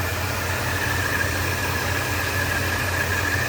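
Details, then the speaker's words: 1977 Ford F-100, 302 V8 heard from outside: smooth, even low idle rumble with no misses, ticks, knocks or shakes; a healthy engine. "No shakes, no shimmies, no weird sounds. Just really, really nice."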